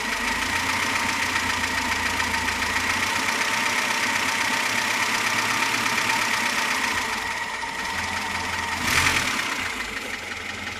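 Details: VAZ 2107 engine at idle: rapid, fairly regular knocking about four per second; persistent engine knock of unknown origin.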